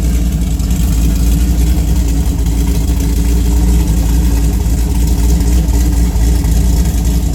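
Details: Engine with cam ground by Cam Motion on EPS lobes (222/226, .629/.629 lift, 112+3), Solo cat-back with mid muffler, Manzo stainless headers: deep, lumpy note with an uneven stumbling beat, a bad misfire, cause unconfirmed.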